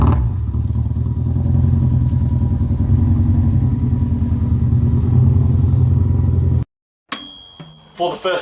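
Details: Peugeot 206 rally build with a 2003 Subaru Impreza WRX EJ20 engine, untuned, on an early drive: lumpy, uneven beat at about three and a half pulses a second under the exhaust drone, as if on three cylinders; misfire, cause not yet confirmed.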